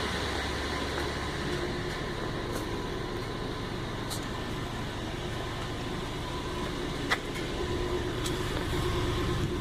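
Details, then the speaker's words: 1999 Toyota Land Cruiser 100 Series after Bosal muffler replacement, first cold start, engine not warmed up: steady even low idle rumble, much quieter, no puffing, ticking or hissing; normal exhaust with no leaks. "Sounds good. I don't hear any leaks. I think that's a success."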